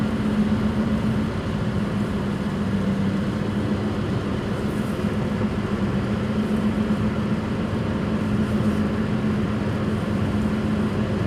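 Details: 2005 Suzuki Swift driving at higher speed: a steady low droning roar in the cabin, suspected bad front-right and rear-right wheel bearings.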